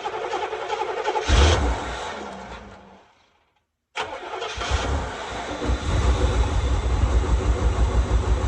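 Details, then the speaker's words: 1984 Corvette with low-hp 350 V8, sat over 10 years, still needing thermostat and tune-up: cranks, catches and settles into a lumpy idle with an occasional skipped beat; cause unconfirmed; engine misfire at idle. "She's still got a little miss in her. She still needs a tune-up."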